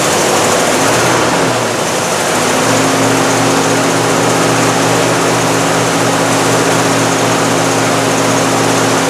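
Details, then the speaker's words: 1968 Cadillac DeVille convertible with a new Amazon aftermarket carburetor, cold. Loud drone that wavers and shifts pitch early then settles unevenly, won't hold idle: rough cold idle, cause unconfirmed. "so you can hear it doesn't want to maintain an eyeball"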